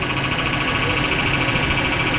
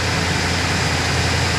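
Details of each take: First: 2005 Chevrolet Silverado 1500 (GMT800) 5.3L V8 idling: a steady high whine with a grumbly undertone from the power steering pump, which had leaked its reservoir empty. Topping off the fluid made the noise go away. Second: 2005 Chevrolet Silverado 1500 5.3L V8 after water pump work and topping off the power steering fluid: steady, even idle with no knocks, ticks or belt squeal; alternator charging, slight thermostat housing drip remaining.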